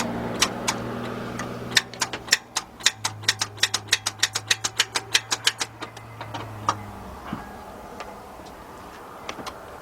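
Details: 2009 Honda Accord 2.4, customer complaint no start: rapid sharp clicks about five a second with no cranking as the key is turned with headlights on; starter trying to engage, solenoid chattering but starter not cranking.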